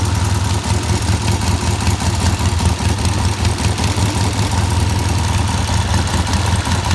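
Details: Vintage British motorcycle, run to confirm it works before teardown and painting (a battery is suggested for dependability): an even, steady idle with a regular low beat of about 2.5 firings per second, no knocks or misses. It runs and sounds good.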